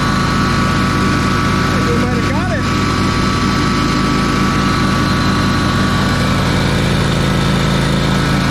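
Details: Ferris 52-inch commercial hydro walk-behind mower twin after carb cleaning and bowl O-ring fix: steady, even drone with no stumbling or surging; fuel jet blockage cured, running much better.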